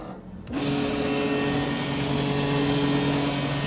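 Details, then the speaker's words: Printer during printhead alignment scan, with the alignment sheet placed in the scanner and start pressed: a steady, even hum with a constant low tone, which is normal noise. The power light then steadies and it is ready to print. "Yan. Yung ingay na yun, normal lang po yan."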